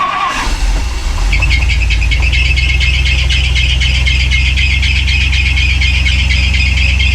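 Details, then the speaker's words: 1963 Ford Galaxie just after a Holley Sniper EFI install, first start: loud steady high-pitched squeal over the idle; the fan holds the water pump pulley on, so the belt slipped on the loose pulley, possibly with coolant on the belt. "You know what that noise was? What? Oh. The fan holds the water pump belt on, or the water pump pulley on,"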